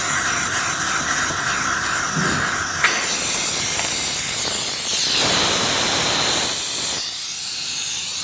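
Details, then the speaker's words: Tsunami Pure 5 regenerative air dryer, air valve manually cycled with muffler removed: loud sharp hiss of air dumping in surges as the tower shifts to regeneration. "here again I'm going to do the exact same thing and manually cycle the drain or the air valve discharge you can audibly hear the difference in the muffler"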